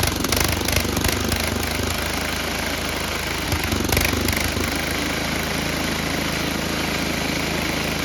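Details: Tecumseh HM80 engine on an MTD Snowflite 8X26 snowblower, first start after carburetor replacement, primed: small single-cylinder runs fast and continuously with a slightly uneven, chattering beat, keeps running, may still need tuning.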